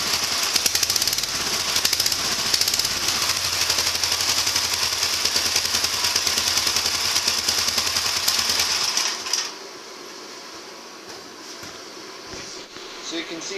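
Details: Gravely 1963 L fitted with a new muffler from a 400 series rider, with a rain cap, replacing the rusted-through old one. Sharp, even single-cylinder popping about three per second for nine seconds, then shut off; running steady and healthy.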